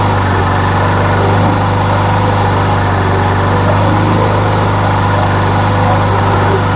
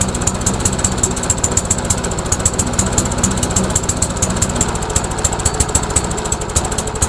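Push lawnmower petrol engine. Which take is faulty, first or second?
second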